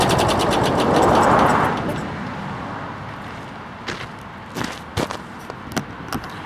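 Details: Hot-rodded mower left in snow all winter, carb rebuilt, tank cleaned, fresh non-ethanol gas and 30-weight oil: small engine runs up strong briefly, then settles to a lighter even beat with a few sharp clicks; running fine.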